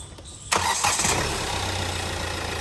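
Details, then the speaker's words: Start and idle of a 2017 Hyundai Creta 1.6 SX diesel: short crank, clean catch, steady even diesel idle with no belt squeal or engine knocking; normal, engine in excellent condition. "ఓకేనా ఇగ అది బండి situation అయితే అది మనకి belt sound గానిీ engine sound గాని ఏది లేదు చాలా ఎక్సలెంట్ ఉందన్నమాట"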